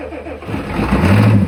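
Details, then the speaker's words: 1988 Ford F350 7.3 IDI diesel, sitting since the 1990s, cranked after glow plugs with starting fluid on old, varnish-smelling fuel: slow cranking with odd catches and brief surges of firing that won't settle. Intermittent firing, which owner blames on awful fuel. "And you can hear it, besides the starting fluid, you can hear it hit every now and then."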